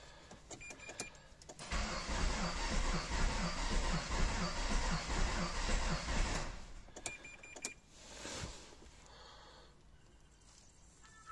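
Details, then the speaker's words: Renault Kangoo 1.5 dCi diesel that will not start, codes DF070 and DF116: about five seconds of heavy, uneven cranking with low thumping knocks, never catches; mechanic suspects an engine problem, owner suspects the crankshaft sensor. "Значит, не заводится. 1.5 двигатель. Какой-то стрёмный звук на прокрутке стартера."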